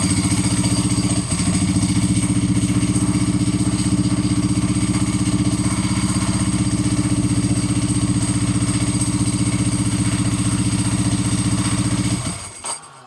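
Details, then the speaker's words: Ducati motorcycle: low pulsing idle that stumbles under 2,000 rpm and occasionally shuts off like a light switch; rear relays and crank position sensor already replaced without fixing it; problem absent when first revived; cause unknown. "I'll let you guys listen to it one more time, so it it under 2,000 RPM, it kind of stumbles."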